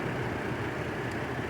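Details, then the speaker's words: Normal idle of a 2002 Chevy Trailblazer LS just after replacing the water pump and serpentine belt: smooth, steady, even low hum. The earlier squeaking and squawking from the belt is gone. "it's done she sounds so much better no more squeaking and squawking"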